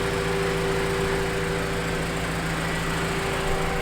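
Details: Honda CRX, warm idle with thermostat open, hoses hot and coolant air bubbles purging: smooth, even hum with no whine, squeal or grinding from the pump area; water pump judged good, shouldn't overheat.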